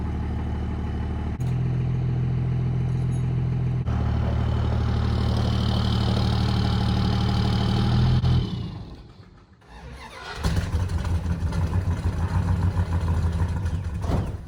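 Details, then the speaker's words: 1971 Dodge Charger Super Bee 383 V8 after cooling-system rebuild (core plugs, water pump, fuel pump, thermostat replaced), cold start without throttle, settles into even deep idle burble, briefly drops, then steadies; normal idle. "we'll do a quick fire up here and listen to that glorious 383 one more"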